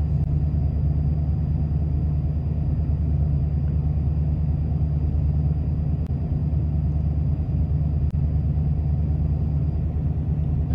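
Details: 1993 Ford F-150, about 110,000 miles, at startup: deep uneven idle rumble with irregular lope, no knocking; codes 998 (limp mode) and 122 indicate failed throttle position sensor, part on order.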